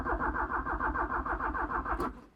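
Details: 1985 Porsche 944 left abandoned and off the road since 2013, first start attempt in neutral: the starter turns the engine in quick, even pulses for about two seconds, then stops without catching. Cranks but no start; it later coughed briefly.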